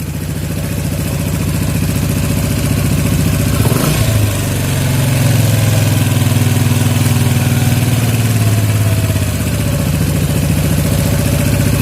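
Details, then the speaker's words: Yamaha Jupiter MX 135 carburetor setting, air screw backed out counterclockwise to find highest idle: quick throttle blip, then revs drift down slowly and hang before settling; air screw still needs adjusting until revs drop without hanging. "Nah, untuk mesinnya agak lambat turunnya ya. Jadi kita setel lagi sampai dapat suara yang tepat ya."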